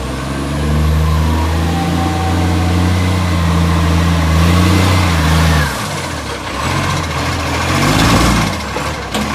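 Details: Brisbane garbage truck diesel near idle: harsh, blatting puff riding on each firing that swells as revs change; a blowing exhaust leak.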